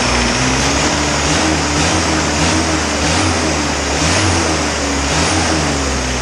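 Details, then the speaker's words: Isuzu 4BD2T diesel on its initial startup, warm with the thermostat just opened: a steady low clatter with an even rhythm and no knocks, with awesome oil pressure and everything working properly apart from a couple of minor issues. "I'm so stoked that this motor fired up and it had awesome oil pressure and everything worked the way it should and I only had a couple minor issues"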